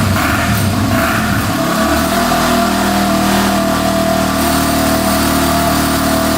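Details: 2005 Yamaha TTR250 that had sat for years without starting, after replacing a too-long carburetor needle that blocked fuel: catches and settles into a steady, even idle with a clean rev blip, no ticking or misfire; normal running.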